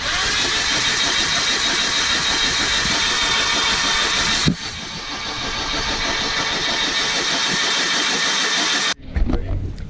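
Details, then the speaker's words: Volvo 740 stalled after driving through a river: engine cranked 10–15 seconds with the spark plugs out, fast and hollow with no compression, to blow water out of the suspected flooded rear two cylinders. "so I think these back two cylinders are gonna have some water in them so what I'm gonna do is crank it over right now just for maybe 10 or 15 seconds wait till all the water comes out"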